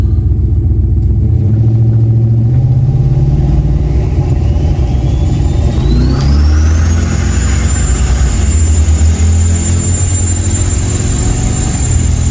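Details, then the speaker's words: Turbo Dodge Diplomat test run after a relay box fix thought to cure a spark issue and charging problem; deep heavy rumble with turbo whistle climbing then holding as revs rise, pulling smoothly, running as good as ever. "She is back. I am happy. I would say after that test run, it is running as good as it ever has."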